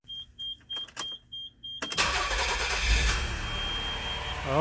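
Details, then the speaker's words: Engine after valve lash adjustment: chimes, then starts and settles into a smooth even idle with no more diesel-like ticking or clatter. "my goodness what a difference what a difference oh it sounds so smooth oh my goodness no more clattering"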